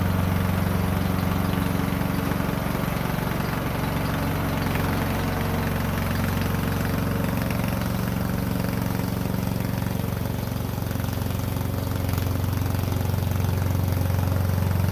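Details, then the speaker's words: Poulan Pro 18.5 HP lawn tractor that quit in use, after oil change and replacing a push rod: steady even low thump at constant idle, no knocks or misses, running well. "Works good."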